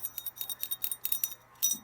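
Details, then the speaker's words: Drake R4C radio receiver with 6HS6 mixer tubes, shaken: quick bursts of light metallic clinks and jingles; detached crystal calibrator, its mounting pegs loose, bouncing inside the chassis. "you can hear it's floating around in there i can take the crystal apart see if i can fix it"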